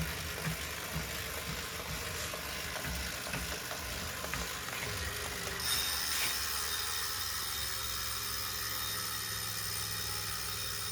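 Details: Wahoo Kickr 2018 indoor bike trainer: irregular knocks over its whir, giving way to a steady high hiss.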